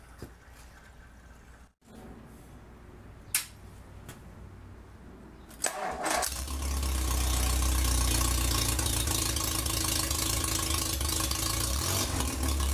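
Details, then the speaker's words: 1947 MG TC XPAG engine on a stand after its first run in about 40 years, now with radiator, coolant and temporary exhaust fitted: after a few clicks it fires at about six seconds and settles into a steady, even idle; normal, needing only slight tuning. "so well we might like to do a little fine tuning but that's not too bad"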